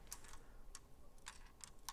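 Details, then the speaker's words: Window switch panel from a 2004 Lamborghini Gallardo, removed and on the bench, apparently tampered with before (wood screws): light, irregular clicking as it is tilted, like a small loose piece rattling inside the housing; internal rattle, cause not yet known. "think it's supposed to make that noise when you tilt it around"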